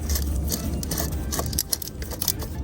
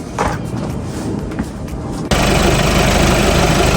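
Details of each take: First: Old water pump from a VW Passat 2.0 TDI (CRLB) that was leaking coolant, removed during a cambelt kit and water pump replacement, spun by hand: a rough, scratchy rattle from its worn bearing. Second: 2.0 TDI (CRLB) VW Passat after cambelt, water pump and auxiliary alternator/AC belt replacement for a coolant leak from the pump, coolant bled: starter spins briefly, diesel catches at once and settles to a steady, even idle, no knocks; normal start and idle.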